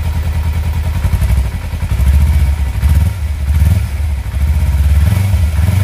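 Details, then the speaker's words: Kawasaki Versys X 250 at 10,400 km, started right after an engine oil change (about 2.2–2.4 L filled): smooth low idle with a few gentle throttle blips rising and settling cleanly, no knock or rattle; engine running normally. "Sedap bunyi dia siot. Slow. Bunyi dia soft je kan."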